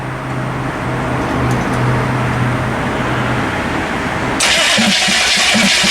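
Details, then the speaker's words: Chevy P30 food truck with non-turbo GM 6.2 diesel, bought non-running, after long glow plug cycle: starter spins it steadily, about four beats a second, with uneven compression but never fires; bent valves or air back through intake suspected. "it's not starting at least rolling over though"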